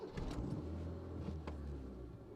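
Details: Proton Saga Iswara, about 50,000 miles driven by owner: quiet, smooth low rumble settling into an even idle, no stumbling or misfire; healthy.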